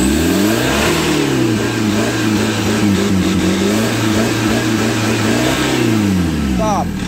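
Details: Chevrolet Captiva NFL AWD diesel (latest generation), after cleaning, repair of turbo, CMP, MAP and P089 fuel-pressure faults and an oil change: revs climb and fall smoothly several times, even clean note, no knocks or misfires; healthy. Smoke in the engine bay is leftover cleaning agent.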